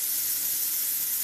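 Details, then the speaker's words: Plasma cutter torch test: trigger switch bypassed by bridging the switch plug's two prongs with a screwdriver; strong steady hiss of air for about a second then clean cutoff, so airflow is normal and any no-trigger fault lies in the switch or the wire to the torch handle. "so if you've got air coming out of the machine and it's just not triggering on the switch like so"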